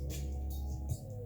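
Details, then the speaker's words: Mitsubishi DA-R20 amplifier on phono input, before STK-1060 output module replacement: music harsh and fuzzy with buzzy low end, worse on the left, and the amp goes into protection after a while; output stage distortion. "so you can hear the Distortion there probably off the top it's really bad on the left right we can get more volume out of it on the right but it goes into uh goes into protection after a little while"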